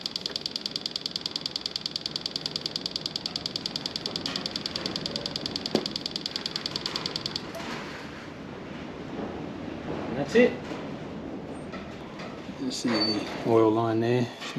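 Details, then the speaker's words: 2021 Husqvarna TX300i two-stroke, 130 hours, after top-end rebuild with new oil pump: wake-up plug connected, throttle held wide open five seconds to bleed; light even ticking about twice a second, pump pushing oil through the line. "there it goes you can even hear it ticking away"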